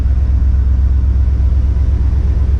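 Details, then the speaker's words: V8 idling after stuck valves were freed, engine not yet warm. Deep, even low rumble with no misses, knocks or ticks; smooth and healthy. "fast idle works everything's working on it look how smooth this thing runs look at that"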